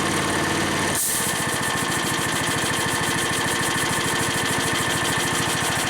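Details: Harbor Freight engine-driven V-twin compressor, new pump, at cut-out near 125 PSI: sharp burst of hissing air, then steady hiss over the chugging engine as it settles lower; unloader dumping pressure normally.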